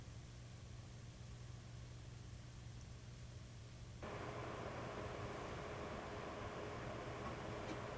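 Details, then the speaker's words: MSI Trident 3 Arctic compact gaming PC at idle, microphone just above the frame: only a faint even airy hiss with soft low hum, no whine or rattle; fans nearly silent, normal quiet idle. "While idle scenarios have the Trident 3 operating almost silently, under load it did not sound like a jet fan, which is awesome, especially when you compare it to the G20 Ci and the Gaming GT."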